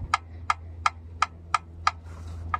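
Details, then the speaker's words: 1989 Jeep Cherokee XJ, Renix 4.0L I6 with AW4 automatic, quiet at first start but noisy after driving; rocking the flexplate slightly back and forth gives sharp clicks about three a second, like a bottle lid, from cracked metal. "do you hear the flexplate yes yes we do that's all it is all I'm doing is pushing forward and backwards just the slightest bit so I guess the metal is cracked and it just clicks"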